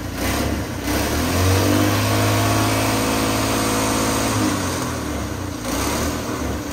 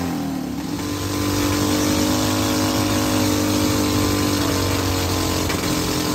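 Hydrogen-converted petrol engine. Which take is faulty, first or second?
second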